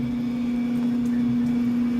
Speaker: nicely done so as you can see everything's put back together it works like it's supposed to I'm very satisfied and of course the wife is happy